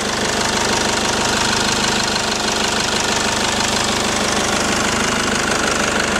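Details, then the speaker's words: 2003 Mercedes E220 CDI, OM646 2148cc 150hp diesel, 6-speed manual, about 1,000,000 km, idling with engine cover off near injectors: even regular clatter, no miss or knock, still runs well, normal healthy diesel idle. "Radi. Bitno je da radi posle 1.000.000 kilometara, dakle 2148 kubika, neko kaže da je 2.1, neko, ja više volim da kažem da je 2.2 motor"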